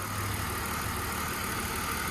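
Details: 2002 BMW donor car with 101,000 miles and front-end wreck damage, hood open: smooth petrol idle with a steady low hum, no knocks or hunting; the engine is running cleanly.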